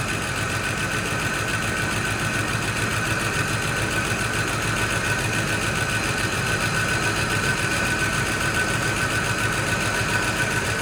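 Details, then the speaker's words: Fox Body Mustang V8 on a jump box, first start after long sitting: slightly uneven ticking idle pulse with a steady high hum as it settles; no smoke, owner thinks the front noise may be a dropped felt. "All right. It don't sound that great up front, but it could be that felt being dropped."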